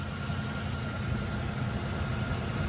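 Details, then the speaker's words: 1984 GMC Sierra Classic V8 with 60 psi oil pressure, running a little rich, oil smoking off the back: low, even burble at steady idle with no knocks or misses; runs smoothly. "I mean, that thing sounds really good. I mean, right? Listen to it. Just purring."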